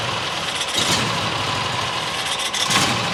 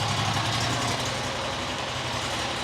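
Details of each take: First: New John Deere XUV side-by-side, idle screw turned in: rough idle swelling and sagging every couple of seconds; dirt suspected in carburetor low-speed circuit after a rodent nest got in. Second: New John Deere XUV side-by-side after new fuel filter fitted: steady, even idle without surging or dying, much better than before; idle screw adjustment made no difference, likely debris in the low-speed circuit.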